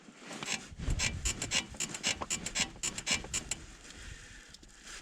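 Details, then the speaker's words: Lada Niva Travel, 28,000 km, squeaking since parking in deep snow. Dry squeaky creaks in bursts about twice a second as the body is rocked by hand on the upper front ball joint; the owner suspects a ball joint, not confirmed. "вот это скорее всего что шаровые шаровая опора шаровая верхняя и вот у нас шаровая нижняя"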